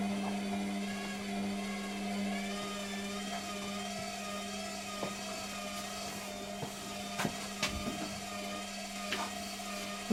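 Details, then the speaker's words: Steady low hum with a few faint clicks and no gurgle of water: washing machine drain pump spins but won't drain; repairer suspects the pump isn't priming properly. "it does appear that the um the pump isn't priming properly"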